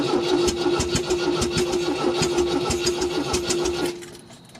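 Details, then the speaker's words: 1974 MGB first start of a newly rebuilt engine with the choke on and little coolant: uneven rough running with sharp pops and cracks, then it dies; backfiring out the intake and exhaust, possibly flooded from cranking without spark, or an exhaust leak. "don't really like that noise can't tell if that's coming out the exhaust or at the front all right i'm going to pull this intake off i can see it's back firing out the intake"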